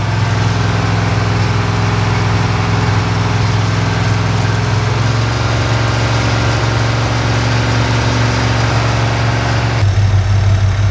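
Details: Engine pulled from a Squarebody truck, on a test stand: deep, even V8 idle with loud fan wash and no knocks or ticks. Temperature good and oil pressure about 52 psi; a normal idle.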